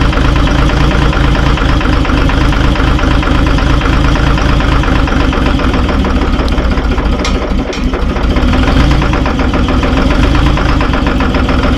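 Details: Terex TX 72-31 loader, 6V53 Detroit diesel, first start in 20 years on ether and 20-year-old fuel: loud, deep uneven stumbling idle with occasional harder thumps, heavy smoke; rough idle, suspected couple of injectors hung up.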